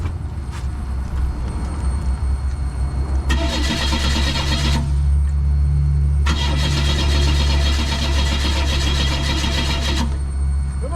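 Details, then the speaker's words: 1996 Oldsmobile Cutlass that has sat a long time: two long cranking bursts with the starter turning steadily but the engine never catching, while an internal fuel pump is run externally and leaking; no start, fuel pressure unconfirmed. "that didn't work folks oh we still don't even know if we have fuel pressure up to this where the fuel pressure comes up through here"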